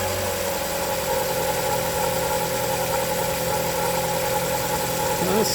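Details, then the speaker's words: 2011-2015 Chevy 1.8L idling right after timing belt, valve cover gasket, spark plug and actuator replacement, water pump not yet done: steady even idle with light whine from the tight new belt, no knock or misfire; runs fine. "sounds good."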